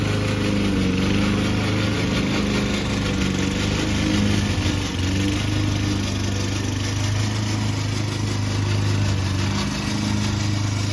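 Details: Old Toro Recycler single-cylinder mower under cutting load in Kentucky bluegrass, binaural recording: an uneven clattering rattle from the drive system. The noise was later solved with WD40.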